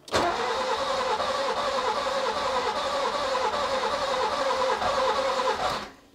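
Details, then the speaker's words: Nissan Micra K11 crank no start: steady starter cranking about 3.5 turns a second for over five seconds, never firing; engine flooded with fuel, fuel pump fuse reinstalled; fouled spark plugs. "It is so close to catching. Okay, I'm gonna remove the fuse again because I don't want to flood the engine completely while trying to make it run."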